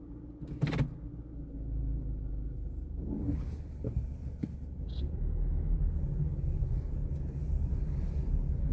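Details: 2014 Mazda 3: low rumble with sharp, irregular knocking/popping pops while moving and turning the wheel between half and full lock in either direction, loudest in a parking garage; cause unknown.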